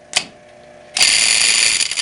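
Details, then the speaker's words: Electric boiler circulator pump cartridge: a harsh, high metallic rattle starts the instant the pump runs and stays steady. One coupler spring broke with its loop gone; fixed by changing the coupler spring assembly. "Jeez, what a racket. Junk. The problem. One of the springs broke."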